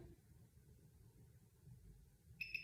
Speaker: and you'll hear two beeps and that means that that cycle is done for that particular [Music] particular treatment